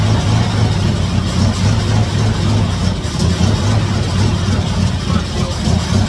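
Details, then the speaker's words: 1956 Chevy Nomad V8 that sat over two years, running on fuel poured into the carburetor: a loud, slightly uneven low rumble, with no fuel reaching the carb from the fuel system. "not getting any gas to the carb yet it's only running off of what I got in there and it's not enough"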